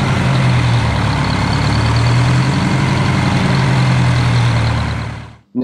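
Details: Detroit Diesel 4-71 two-stroke, first run after rebuild with injectors set and smoke gone: deep, steady idle beat, even and unbroken until shutdown; runs healthy.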